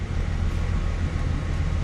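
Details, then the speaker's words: 1994-98 Ford Mustang after fixing crank-no-start (blinking anti-theft light) and replacing a blown intake: low, even rumble with no stumble, hunting or ticking; smooth normal idle, not yet driven in gear. "maybe take it for a test drive to see how well it actually drives i mean it's smooth at idle"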